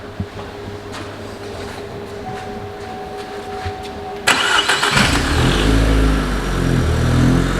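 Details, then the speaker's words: Vauxhall Astra J VXR after forged engine build, possibly a cold start: quiet ticking, then starter cranks and engine catches into a strong, steady cold idle with normal induction sucking noise typical of these cars. "they do have a sucking noise because the induction does suck in on cold start anyway so if you ever do buy one of these or you've got one you'll know exactly what we're talking about"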